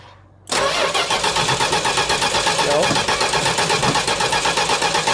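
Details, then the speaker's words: 1969 Plymouth Road Runner parked for decades: starter churns steadily about four beats a second, never catches; no spark, it ran after the ignition module ground was cleaned. "No. No. All right. No dice."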